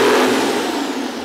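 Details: International DT466 diesel after start-up: brief strong high-rev roar at wide open throttle, holds steady then eases slightly, no knocks; normal wide open throttle.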